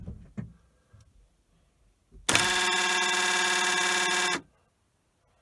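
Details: 2017 Kia Sedona left driver-side power sliding door: buzzing actuator motor whirs about two seconds then cuts off without a latch click, door binding; actuator jamming, replaced with part 81440-A9511.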